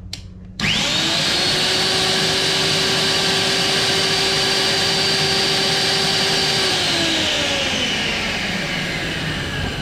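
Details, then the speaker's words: Eco magnet drill after fitting a new motor and new bearings, power-on test: clean spin-up to a steady, even whine, holding level then winding down smoothly, no grinding or rattle; runs very well. "Beautiful. Work very well. I'm very happy. Sound good."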